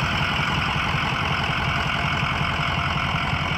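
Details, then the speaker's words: 2004 Ford E-450 box truck, 6.0 L diesel, 121,000 miles, hot after running about an hour without overheating, started right up: steady even low diesel rumble at idle, no knocks or misses; sounds healthy. "engine sounds good it's been running for about an hour does not overheat how good battery started right up"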